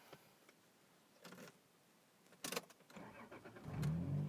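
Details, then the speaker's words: 1996 Toyota Supra, non-turbo, 3.0 L inline-six with rear-wheel drive; simple key-turn start. Short crank, then it catches quickly and settles into a steady, even idle without misses. Normal, healthy start. "nothing tricky to turn on one of these cars it's really straightforward its key in and turn you don't have to worry about when you form the clutch you're having it in neutral or whatever it's fine"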